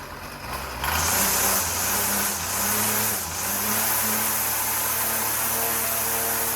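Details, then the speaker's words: Two-stroke weed whacker after carburetor and fuel line replacement; the fault was air in the fuel system. High buzzy idle wavers and dips unevenly with sagging pitch, running rough because the engine was flooded. "I mean, it's idling a little rough, but I flooded it up."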